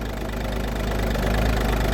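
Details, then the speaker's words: Audi A2 TDI diesel idling just after a Bosch starter motor refurb to cure a screeching noise when cranking: steady light diesel clatter with no screech or grind from the starter; running fine, normal idle. "hopefully we won't hear a screeching noise no squeaking noise"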